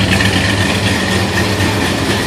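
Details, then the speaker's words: 1968 Plymouth Road Runner Chrysler big-block V8 with HEI distributor idling after new custom Fire Core spark plug wires fitted (old MSD coil wire reused); steady smooth low rumble, no misses, heard from out back; exhaust manifold leak still present; normal idle. "Motor looks like it's even idling pretty good. This is where it sounds good out back here."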